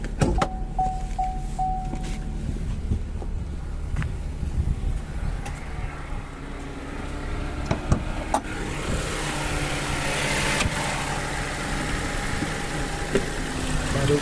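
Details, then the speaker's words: Chevrolet Tracker three-cylinder engine with 40,000 km idling: steady, low throbbing idle with a slightly uneven pulse, the noise owners often complain about; judged normal for a three-cylinder engine, nothing to worry about. "pessoal reclama isso aí ó esse te no meu motor parece tá normal tá pessoal is é comum de motor TR cilindros então acho que não há o que se preocupar quanto a isso"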